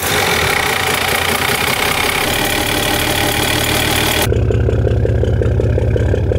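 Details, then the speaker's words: Overhauled 230HP Mercedes diesel boat engine at idle, turbo fitted: loud, steady clatter settling into an even, regular thump; running fine, only a small exhaust smoke leak to fix. "सामान्य परीक्षण हो गया है और हम स्वीकार करते हैं कि सब कुछ ठीक से काम कर रहा है, यहां से धुएं का थोड़ा रिसाव हो रहा है जिसे हम ठीक कर देंगे, यह कोई बड़ा मुद्दा नहीं है,"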